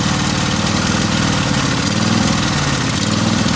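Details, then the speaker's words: Craftsman riding mower, twin engine running on one cylinder, cold on choke, in neutral: loud idle that lopes and surges unevenly; rough running when cold, needs a long wait before the choke can come off; suspected carburetor fuel leak. "Yep, not running that good. And then it takes a while for it. Oh no, maybe not. It'll take a while for the choke to come off too."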